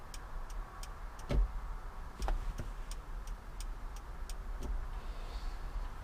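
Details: 2005 Chevrolet Impala 9C1 Police Interceptor after a replacement wiring harness, key on, testing the turn signals. Crisp, evenly spaced clicks at about two per second over a quiet background. Normal turn signal flasher ticking.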